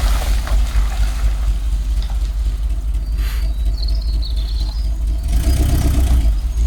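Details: 1986 Rolls-Royce Silver Spirit II, parked since 2022, just started cold with some bad fuel: deep, lumpy idle stumbling about twice a second, one cylinder not firing; bad misfire, plan is new spark plugs and checking distributor cap and points.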